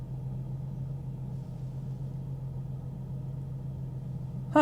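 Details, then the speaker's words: Salvage-auction Mercedes S550 with 49,000 miles, given a light throttle blip: steady, smooth low hum with no knocking or ticking. Engine sounds good, with nothing obviously wrong with it. "yeah engine sounds good it i don't know what's wrong with it"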